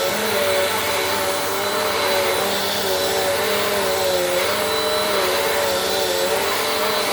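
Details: Bissell PowerForce Compact 2112 vacuum, 5.5 months old, running after repair: a smooth, steady motor hum and even airflow rush with no rattle or pitch wobble, sounding like new.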